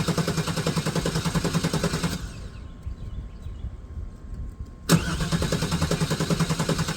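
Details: Neglected OBS GMC/Chevy V8 truck, first start after long storage on old gas, started outside: lumpy, uneven beat at about three or four pulses a second, stumbling, dying and refiring; it is not running on all eight cylinders.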